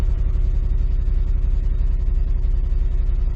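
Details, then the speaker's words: V8 tow truck idling after all eight spark plugs and coils were replaced: uneven, lumpy idle with stumbles and bad vibration, so the misfire persists; no check engine light; cylinder 5 has melted two coils, and the owner suspects a wiring harness issue. "still definitely got a misfire probably can't see it on camera but I mean it's got a pretty bad vibration"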